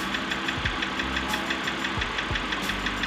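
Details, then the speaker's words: Ticking at idle from a wrecked BMW 325i E90 (Copart rebuild) started cold after sitting a while; steady even tick about three per second, new since before, oil is fine; owner suspects cold start, and it vanished after restart. "don't know if you guys could hear me but you could hear the car ticking TI tick tick TI tick tick and I didn't do that before so it's got oil"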